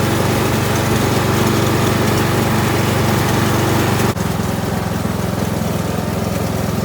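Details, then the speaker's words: Kohler Courage 19 hp engine on an Ariens garden tractor after muffler repair (loose internal baffle fixed): steady, even thrum, no exhaust rattle, brief dip near four seconds; running clean and healthy. "Everything's back together. That muffler should be a lot quieter. Won't be rattling anyway."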